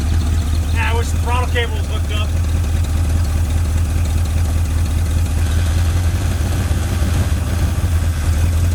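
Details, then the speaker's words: 1981 Ford Mustang 5.0 V8 revived after sitting. A steady V8 burble at a fast-ish, even idle with no knocks or stumbles; the owner suspects the high idle is due to ignition timing. Normal, healthy idle. "that's exciting I'm happy engine sounds really good very healthy"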